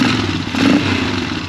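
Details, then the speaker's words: 2003 Polaris Sportsman 400 after valve adjustment and reassembly; single cylinder picks up cleanly on throttle and falls back smoothly with no misses or stumbles; normal throttle response. "It's taking throttle. That's great."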